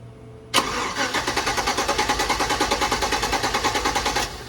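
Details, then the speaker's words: LS-swapped 1987 C10, cranking through relay with original 20 amp fuse back in: even starter chugging about three beats a second for several seconds with no firing; fuel pump definitely not on, owner suspects something pulled loose. "All right. So that means the fuel pump is definitely not on."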